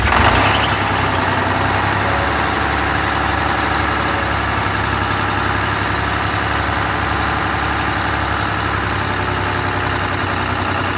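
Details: MCI MC5 bus diesel on first start after new rod and main bearings, with new air, coolant and fuel lines. It settles right after firing into a steady idle of about four beats a second with no knocking. Normal idle.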